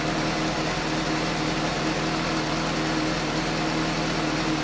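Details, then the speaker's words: 2015 Suzuki GSX-S750 just after new OEM NGK CR9EIA-9 iridium spark plugs at the 7,500-mile interval: steady, even idle with a smooth hum, no misses or ticking; noticeably smoother and crisper than before. "oh there really does sound smoother I like it yes noticeably a little more crit than it was"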